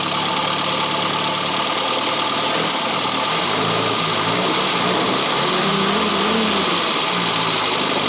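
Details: 1962 Austin-Healey Sprite after 10+ years' storage, just restarted after engine teardown to fix a bottom-end knock: even idle under heavy hiss, no sharp bottom-end knock; sounds healthy now.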